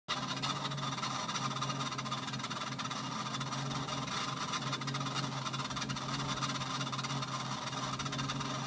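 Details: Treadmill running: steady low hum under a harsh, constant hissing rub; started suddenly after a long period unused, belt suddenly very tight and crooked; abnormal running noise.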